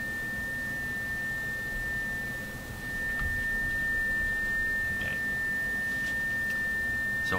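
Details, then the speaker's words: Electrohome Kalmar console stereo crossover tweeter output, fed by audio signal generator through Heathkit mono amp into one speaker: steady clear tone around 2 kHz, no buzz; gets rectified-sounding lower down. "what I hear is a fairly Clear Tone uh we're up around where are we here we're up around 2 KZ 2 2,000 Herz fairly clear"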